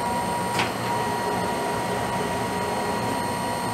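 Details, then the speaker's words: Monarch 10EE lathe threading with the ELSR (Electronic Lead Screw Reverse), half nut left engaged, compound fed in 0.005": even motor hum, constant high whine, one light early knock; feed runs smoothly, then shuts off automatically. "And it shut off. I didn't touch it at all"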